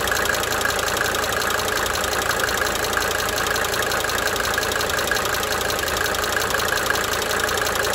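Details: 1992 Mercedes-Benz 300D 2.5 turbo diesel idling for several minutes, brief talking at start; light, quick ticking layered over the steady idle, drifting in and out: cyclic injector ticking.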